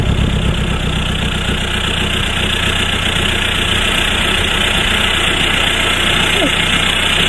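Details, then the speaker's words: VW Passat B3 35i swapped to ARL PD150 diesel, just fitted with a straight-pipe exhaust, first start after lowering to the floor: loud, raw, steady unmuffled idle with even rasp, described as a weird sound; normal straight-pipe diesel idle. "sounds a bit it's a weird sound"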